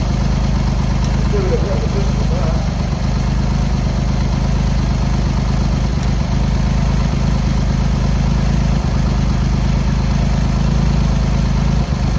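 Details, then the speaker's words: Triumph Hurricane X75 triple, rebuilt carbs just refitted, choke on, pilot screws thought about 7/8 out, left-hand carb later found misadjusted: low idle with irregular lumpy beat, one cylinder seemingly missing now and then; carb setup suspected needed; uneven idle. "Probably do need to give it a bit of tune. So we'll check the turn ignition off."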